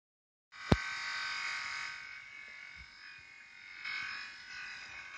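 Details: Renault, engine off: a steady, even electric-sounding buzz continues with no other running noise, source unclear; began after the air conditioning was serviced, owner was told it would clear itself.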